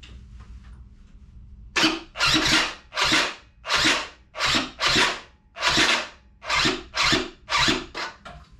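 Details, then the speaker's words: Yamaha Aerox moped build, first test start, tried on the electric starter (owner doubted it would start); about a dozen short starter whirs with pauses, never firing. Later the owner says he forgot to choke. Cranks but won't start. "Och jag tänkte att vi provar med elstarten först. Jag tror inte den kommer starta på det, men det är värt ett försök."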